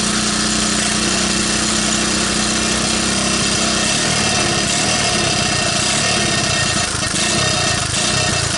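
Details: 1985 Honda ATC125M single-cylinder, previously seized, revived with a hacked PZ27 carb on a rotated intake manifold and portable 12VDC CDI, on a cold start with choke: runs at a steady, even fast idle with no knocks or misfires; doesn't sound too bad, normal running.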